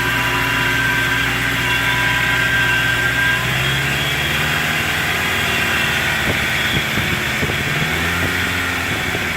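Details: 1999 Toyota Tacoma with 3RZ-FE engine at idle: a steady, high, thin whine at constant pitch sits over an even idle; the source of the engine whine is unknown.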